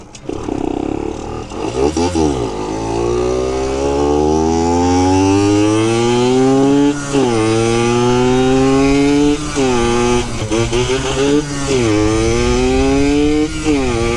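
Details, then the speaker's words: Yamaha YSR50 two-stroke after engine reseal, new crank seals and new clutch, ridden through gears: crisp buzz climbs sharply each gear, quick clean dips at shifts, even strong pull; healthy engine under load. "I don't know if you guys can hear it but like this thing is Shifting Flawless right now"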